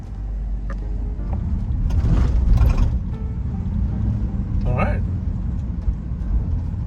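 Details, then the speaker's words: Van just leaving the shop after repair of high engine noise, which the mechanic blamed on the exhaust, and rattling/grinding: low even engine rumble with no knocking or grinding, both noises gone. "okay just coming out of the shop all right so the the regular noise is gone oh the other noise has gone too"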